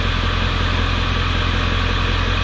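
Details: 1995 Ford F-250 7.3L Power Stroke diesel at idle after a new glow plug relay fixed its no-start: deep, even clatter with no stumble or misfire, a little exhaust smoke; normal idle.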